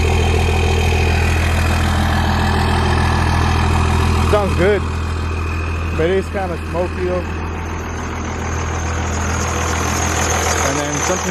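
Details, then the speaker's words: Diesel truck idling with turbo spool audible; steady deep even drone broken by short high chirping squeaks coming and going; intermittent squeak at idle, source not pinned down. "something's squeaking here, but you can hear me. trucks are pretty loud."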